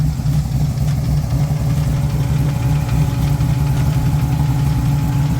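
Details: Jeep Wrangler TJ with a 6.0L LS2 V8, Trick Flow heads and straight pipes, about 8k miles on the build: steady, lumpy idle with a light, fairly quick tapping over the rumble; cause not pinned down.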